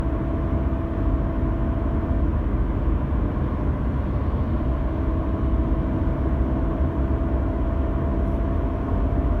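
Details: 2016 Audi A4 B9 2.0 TDI, manual: steady mid-pitched whine in 6th gear at 115–135 km/h under light throttle, gone instantly off throttle and briefly at full throttle, over road and engine rumble.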